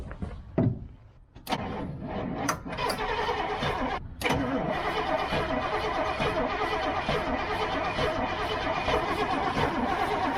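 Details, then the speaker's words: Old GMC gasoline bucket truck with Holley carburetor cranks steadily about once a second but never catches; crew suspects carb problems, vapor lock or a stuck float, not confirmed. "It's like it gets vapor locked when it wants to hit. Yeah. You know? I think we just got some carb problems."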